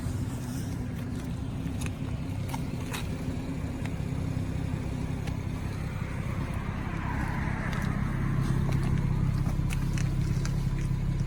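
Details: 2017 BMW 340ix F30 at low fuel, heard from the cabin: steady low engine drone, no rhythmic thumping from the back seat area after the dealer did SIB 12 20 19 software reprogramming and calibrations; the long-running low-fuel helicopter thumping is fixed.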